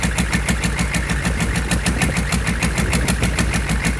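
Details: GEP/Navistar 6.5 diesel, rebuilt (Scat crank, 30 over, moly pistons), Stanadyne DB2831-4911 pump, on a stand at about 160°F with about 34 psi oil pressure: even clatter pulsing about twice a second, falls back from high rpm to idle without stumbling; healthy.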